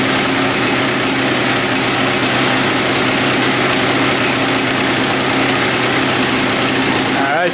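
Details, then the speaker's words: 1993 Honda CR125 two-stroke after fixing a misplaced shift fork, first start after choke and kicks: crisp, steady buzz holding an even idle with no hunting or dropouts; normal idle, carburetor not yet cleaned. "idling sounds pretty good foreign all right going through all the gears too so I think it's ready for the first ride"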